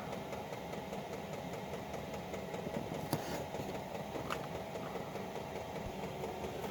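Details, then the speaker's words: Chinese 5 kW diesel heater with LCD controller, combustion chamber reaching full temperature (final red bar): quiet even combustion roar with a soft steady pump tick, no surging or popping; running smoothly at full power. "ah now we have the final red bar combustion chamber is up to temperature and it is running well"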